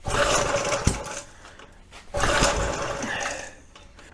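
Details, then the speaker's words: Early-1970s flathead Briggs engine on a vintage gas SCUBA compressor, fuel poured into the plug hole, spark tester shows good spark: two pull-starts, each a short burst with one sharp pop, then dying; fires only intermittently, owner suspects low compression. "this thing's kind of acting almost like it's hit and miss on the spark you know anytime I pull the lead off it looks like it's working okay but when you actually uh try and run it work tester shows up good this thing's popping off but it's not not consistently firing"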